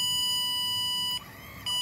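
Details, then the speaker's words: 2017 Chevrolet Express van, code C0110-04 open pump motor circuit; new ABS pump motor (0.01 ohms) bench-powered with 12 volts via Power Probe, high steady electric whine dipping briefly then even: normal ABS pump motor running, isolating motor from control module. "and there you can hear the motor fires up so that's how you can verify that your electronic you know which one is it is it my electronic brake control module or is it the valve in the motor itself"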